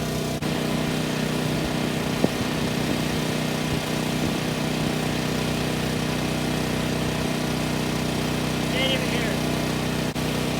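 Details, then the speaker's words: New Champion 7500-watt dual-fuel generator on its first 5–10 minute run, heard from about 10 feet away: smooth, even hum at constant speed with no surging or knocks; not super loud but not the quietest. "the sound you're hearing is from approximately 10 feet away. Not super loud, but it's also not the quietest."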